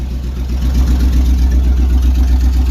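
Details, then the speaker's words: 1999 Chevy K1500 Suburban, 5.7 Vortec 350, almost warm, about 30 psi oil pressure, catalytic converters stolen: very loud, deep unmuffled rumbling idle with steady low throb. "Somebody stole the cats off this thing, so it's a little loud."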